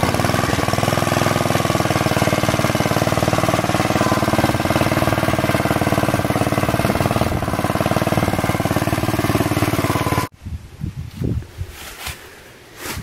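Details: Planet Jr. Model B walk-behind tractor with air cleaner and elbow refitted, driven up the hill: fast, even single-cylinder thumping with no misses or knocks, then a clean shut-off. Normal running.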